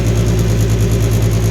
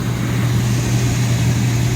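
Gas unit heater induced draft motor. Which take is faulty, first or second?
first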